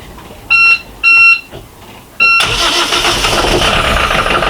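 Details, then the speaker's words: Volvo Penta D2-40 marine diesel on M/V Tortuga, started with raw-water seacocks open: short panel beeps, then catches and settles into a steady, even idle with no knocks; healthy start. "I'm just gonna let it run for a minute or two now this will beep twice when it's ready and then we'll see how it goes"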